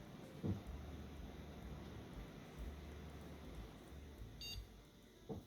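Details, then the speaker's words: X58 PC build with a replacement modular power supply and repinned, multimeter-checked cables: a single short high beep over quiet room hiss at power-on, then a picture appears; normal POST beep. "Got a beep. And we got a picture."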